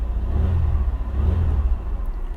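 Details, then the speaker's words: 2001 Chevy Lumina warming up to operating temperature, quarter tank of fuel: low, smooth, even idle rumble with no knocks, ticks or hunting; healthy normal idle. "sounds good"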